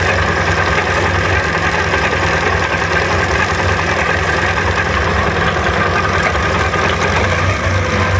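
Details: SMC 250 at even idle with a dense metallic clatter at a steady rate; owner suspects a rattling chain.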